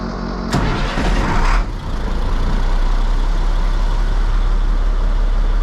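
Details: 1998 International 4700 DT466e diesel, after oil and filter change, cranked after several starts that day: catches after a brief crank and settles into a steady, even idle rumble, no knocks or misses; runs good, normal idle.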